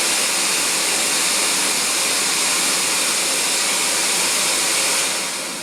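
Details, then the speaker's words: CamVac dust extractor with cyclone in workshop, about 75 dB; loud steady rush of extracted air over a vacuum-cleaner-like motor drone, fading toward the end, running normally. "so the motor noises is much like a domestic vacuum cleaner at home you really hear the motor working and it's the the main part the noise is the air being extracted from the machine"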